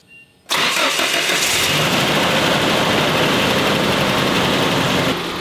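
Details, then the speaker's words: 1990 Nissan D21 pickup after fuel pump replacement and new battery terminals, testing earlier no-start: engine cranks, catches at once and settles into a steady, even idle with no stumble or misfire; sounds healthier. "Well, she's idling. Sounds healthier."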